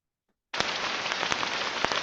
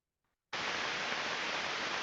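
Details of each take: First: Ultrasound recording at about 30 kHz of a damaged rolling bearing: steady rushing hiss broken by irregular sharp crackles and pops, unlike the uniform rushing of a good bearing. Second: Healthy rolling bearing heard through an Ultraprobe 15000 ultrasonic probe in the 30 kHz range: a steady, uniform rushing hiss with no knocks or crackles.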